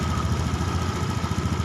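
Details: Honda Beat eSP fuel-injected scooter being fixed for stumbling, idle settled at about 1677 rpm after adjustment; quick, even putter at a fast idle with no stumbles or misses, idling steadily.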